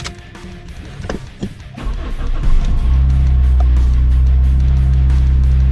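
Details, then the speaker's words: Toyota Celica 2ZZ after idle air control valve cleaned and refitted: steady, fast, even cold-start idle around 2,000 rpm with no hunting, normal and expected to drop at operating temperature. "typically you'll have a cold start which is around 2,000 RPM and that's normal and then it'll eventually come down once it gets to operating temperature"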